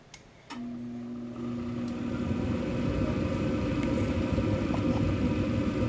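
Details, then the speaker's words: 2012 Bryant Legacy Line gas furnace, first startup of the heating season at 50°F outside, microphone at the back near the blower: low hum then smooth rushing blower settling into an even run, no rattles; normal startup, ducts not yet warm. "Okay. Well, there we go. It's running. First time in the 2025 2026 heating season."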